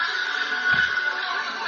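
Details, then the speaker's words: Radio after repair of a faulty ground connection (previously crackly, breaking up, cutting in and out): program audio plays clean and steady with no crackle, hiss or dropouts. "hasil mengalahkan 34 peserta dari suaranya langsung bening tidak seperti dari awal video"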